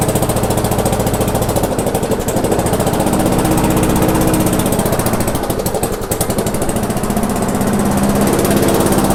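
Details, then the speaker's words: Abandoned MTD/Yard Machines non-self-propelled walk-behind mower, after screw adjustment and air cleaner refitted: runs unevenly with a choppy irregular beat, speed swelling and sagging, hunting; engine judged good, governor arm suspected. "Okay, so what we know at this point, it is a good engine. There's this governor arm right here is obviously has to do with the run issues."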